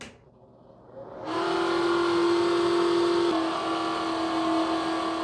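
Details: Bathroom exhaust fan starts up and settles into a steady high squeal over its hum with a faint pulsing rhythm.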